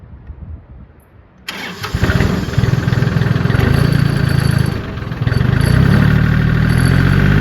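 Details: John Deere 770 diesel tractor, 4257 hours, used but runs good: catches promptly after a short crank and settles into a steady, even idle chug with no knocking or hunting; normal start and idle.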